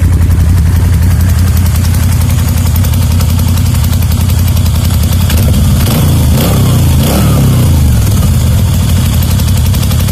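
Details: Moto Guzzi V7 II Racer V-twin idling with a quick, light ticking over its low thump, then one blip and shut-off. Owner dislikes the ticking; cause unknown, and his earlier 2013 Racer didn't make it.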